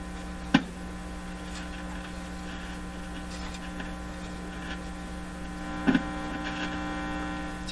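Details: Electrohome Cosmic tube radio with weak output, distortion and poor AVC, probed with a signal tracer set to audio; steady low mains hum with a couple of sharp clicks. Owner suspects a bad clip lead not making contact, possibly a cold solder joint.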